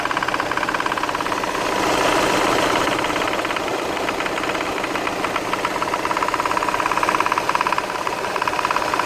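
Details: VW Tiguan running: steady fast knock about three and a half per second from the accessory drive; suspected A/C compressor knocking, not confirmed.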